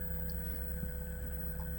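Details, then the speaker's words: Cape Dory 25 sailboat converted from diesel to an Elco 20 hp electric motor on 48V batteries, running in reverse on the mooring at about 500 RPM drawing 4.8 A, about 300 W: smooth steady low hum with constant whine, no knocks, normal running. "So, here's the motor running at uh about 500 RPM, pulling 4.8 amps."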